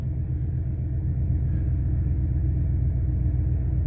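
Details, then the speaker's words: 2003 Ford Expedition 5.4 V8 after the idle air control valve was replaced; it previously idled high at about 2000 rpm. Now an even, low rumble at about 800 rpm with no hunting or racing. Normal idle. "the idle is back down to about where it should be sounds about 800 rpms so that's good"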